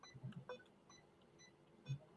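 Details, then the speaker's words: Asus ROG Strix GL531G laptop whose built-in keyboard doesn't work while USB keyboard does: soft short beeps every half second in a quiet room; suspected spill or stuck key, unconfirmed. "can you hear the beeping yeah that's coming from The Wire keyboard"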